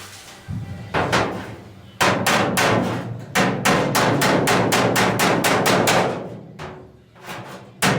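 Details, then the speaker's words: 1970 Dodge Challenger oil-canning roof repair: quick bursts of sharp metallic hammer blows, about four a second, on a dolly, the ring changing as the dented panel flattens; sound change signals the high spot is lowered. "when I hear the sound changes, then I know it's more flat."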